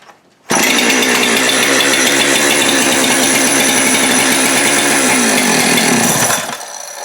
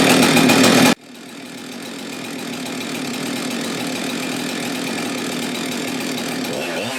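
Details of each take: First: Husqvarna 372XP X-Torq chainsaw running fast and steady, then sagging and cutting out when brake cleaner sprayed behind the clutch is drawn into the bottom end, showing a crankcase air leak at the failed clutch-side (PTO) main bearing and seal. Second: Husqvarna 372XP X-Torq chainsaw after PTO-side main bearing failure and replacement: burst of loud cutting, then steady high two-stroke buzz at even speed, smooth and strong; healthy running saw.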